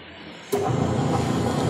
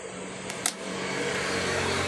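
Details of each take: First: Westinghouse washing machine after repair, wash motor running: sudden start then steady, even churning hum without grinding or knocking; normal wash motor. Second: Electric fan switched on: click then steady low electrical hum, blades not spinning; lock screw came off so shaft binds in housing. Stalled motor hum, seized shaft.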